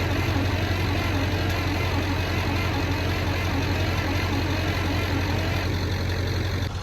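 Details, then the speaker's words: Michigan 35A wheel loader with Continental six-cylinder gas engine, sat unused for years: steady starter churn with low engine thrum, never catching; bugs found inside the distributor. "put that on a list of things I've never seen that's all little bugs of some sort that somehow got into the [Music] distributor"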